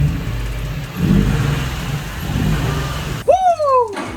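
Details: Nissan 350Z V6 revived with a rebuilt engine using parts from a junk Murano after a bad knock; it swells and settles through a couple of blips with no knock or tapping, sounding healthy.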